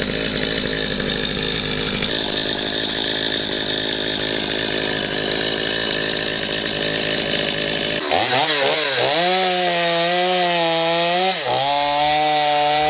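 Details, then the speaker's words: Stihl MS250C chainsaw after replacing a bad, bogging carburetor with a new OEM Stihl carb, no screws adjusted: high steady revs, pitch sags into wood and recovers without bogging; running and cutting properly. "so you can see there with the carb right out-of-the-box brand-new from still there's no issues I did not have to adjust anything on it"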